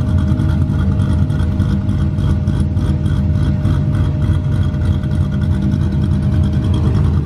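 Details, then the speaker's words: Cammed V8 heard during a cam install on an LS3 Corvette, presented as what the car will sound like when done. Deep, choppy rumble with a quick uneven lope throughout; a big-cam engine running healthy and strong. "Dang, that thing sounds good."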